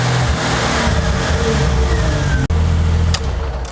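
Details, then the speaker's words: Jeep Wrangler 4.0L engine pulls under acceleration, then RPMs drop as it cuts out for an instant and picks back up; a brief hesitation. A bad crankshaft position sensor is suspected, before sensor replacement. "There we go. When you saw the RPMs just drop a little bit right there, that's the hesitation I'm getting. Cuts out just for a minute."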